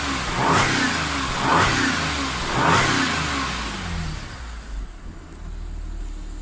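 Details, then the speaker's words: Audi S4 3.0T supercharged V6 after driveway repair of jumped bank 2 timing chain (P0016/P0018), warmed up to temperature, no fault codes. Three light blips rise and fall smoothly, settling to steady idle without ticking or rattle; normal revving. "so we're up to temperature now still no fa codes which is good and giving it a little rev sounds pretty good as well"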